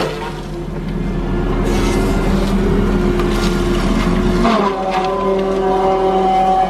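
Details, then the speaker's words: Tigercat forestry machine with disc saw, being cut after repair work on its six-pump hydraulics: engine note sags and labors as the disc bogs and stalls under load, then pitch climbs as it recovers speed; engine lugging under load. "see it's trying to come back up to speed now"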